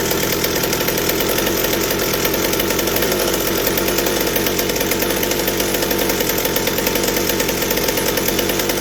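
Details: McCulloch 790 chainsaw fitted with an MC101 kart engine, expansion pipe and 3D-printed carb adaptor, at wide open throttle: clean steady high-pitched scream, won't four-stroke; carburetor works but running lean on high speed.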